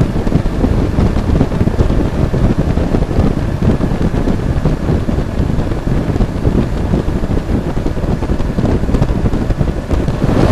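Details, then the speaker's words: Toyota V6 with OEM thermostatic clutch fan on cold start: loud steady low rushing roar over the engine as the fan pulls hard air; normal good cooling. "A lot of people don't like the sound of this, and that's why they want the fan, electric fan, but to me this is the sound of good cooling."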